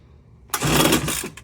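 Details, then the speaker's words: Homelite UT08572 30 cc backpack blower, switch on start, being recoil-started: one quick pull with a raspy turnover that never catches; it had run briefly but won't keep running, cause not yet known; no start. "It definitely ran for a little bit. As for why it's not continually running, I don't know yet."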